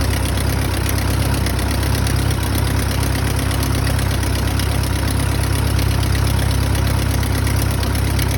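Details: Piston engine idling after oil cooler swap to a refurbished 7-row unit, new oil filter and 7 quarts oil, primed before start, fighting hot oil temperatures; deep steady throb about three beats a second, no misses or knocks; normal idle.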